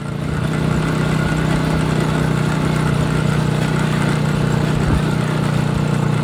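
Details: Chinese 200cc Honda-clone quad that used to miss and stall once warm, after new spark plugs, following 10-minute ride: steady, even single-cylinder thump with no misses or stumbles; runs normally, considered fixed.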